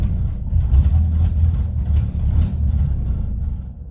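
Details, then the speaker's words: 1931 Ford Model A Coupe, out of storage 4-5 years, first run after fresh oil, spark retarded, warming up: low, throaty rumble swelling and easing as revved, firing evenly without misses; runs great, normal running. "I think I have the valve off actually, but the good news is it runs great."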